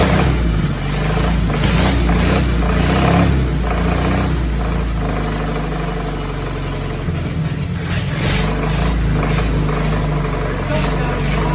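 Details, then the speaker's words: Willys flathead Jeep engine rebuilt from used parts, first start after new valve and valve adjustment: rough low-pitched run with loose rapid rattle from down low, three or four a second; spun crank bearings. "kill it something in the bottom end is rattling y you may have heard we heard a little bit of a bottom end noise"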